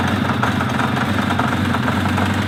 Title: Kawasaki Z 500 B 1980 engine knocking ticking